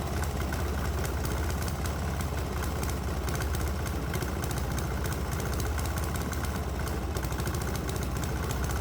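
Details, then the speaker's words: 196 cc 3 hp single-cylinder diesel on homemade motor oil fuel blend, struggling to hold 2,000 rpm (should be 2,700 unloaded), now under alternator load in a hot shop; heavy, rough, laboured thud; engine lugging on improper fuel blend. "let's make things worse and put a load on the engine now I'm not sure we can run a full load at this point so I'm going to shut up and let you hear this engine struggle"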